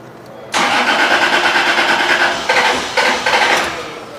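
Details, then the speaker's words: Cranks after starting fluid is sprayed into the throttle horn, then briefly roars into uneven firing for a few seconds and dies; points to a fuel problem, fuel pump and relays suspected; crank no start, fires briefly on starting fluid. "all right so obviously it wants to start so that kind of points towards it being a fuel problem"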